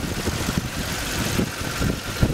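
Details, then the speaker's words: 2006 Toyota Tundra 4.7 V8 after repairing secondary air valve fault (codes P1441, P2440) that limited speed and revs; steady low idle with a few soft thumps but no knock or miss, running smooth with no fault codes. "it is, everything's back together, engine's running smooth, no problems."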